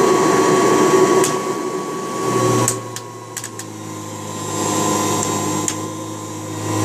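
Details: March 1989 Kirby Heritage 2 / Legend 2 (2HD) vacuum, restored with new foot switch, power cord, brush roll and light bulb: loud steady motor hum, constant high whine, even brush roll, no rattles or scraping; normal running.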